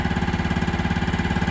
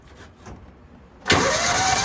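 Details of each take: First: Older Kawasaki Mule 550 UTV, sat 2-3 years, just revived: an even low thump about ten times a second, steady with no miss or stumble, and no smoke; it idles cleanly. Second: Older Kawasaki Mule 550 UTV, sat 2–3 years, breather possibly clogged and removed: starter cranks steadily for about three seconds without catching, sounds like it wants to run; hot start to be sprayed into the breather next.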